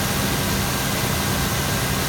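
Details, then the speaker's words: 2000 GMC Yukon 5.7L Vortec V8 with 163,011 miles, no smoke: a deep, smooth, even idle with no ticks, knocks or misses. A healthy engine. "As you can hear, it runs excellent. Tested. On the video so you can see. Beautiful runner."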